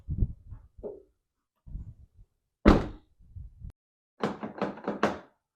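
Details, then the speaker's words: 2010 Toyota Yaris after aftermarket keyless entry install: remote lock/unlock fires all door locks and the hatch, short crisp thunks in quick groups ending in a faster cluster; actuators all working normally. "Okay, so I'm going to lock it and unlock it. And it works the same for all the doors. Oh, and the hatch."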